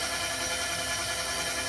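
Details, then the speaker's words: Tire inflation system switched on: steady, even hiss with no pulsing, constant escaping air from a leaking air hose; leak pinpointed. "We got a leak, guys. So I already then pinpointed and checked out where the leak was."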